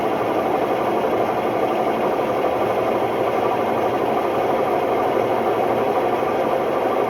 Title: Hotpoint Ultima WMD960 washing machine || Test spin: My ears were left ringing… bad bearings!!